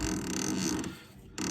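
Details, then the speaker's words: Western Tornado/Fisher Polycaster poly hopper spreader, electric-motor spinner drive with CP fault code: uneven rubbing chatter and flutter from the spinner belt running off line due to misaligned motor pulley, causing friction; realigning pulley quiets it. "I think it has something to do with the belt heating up also excess friction from you hear that the belt's trying to do funny"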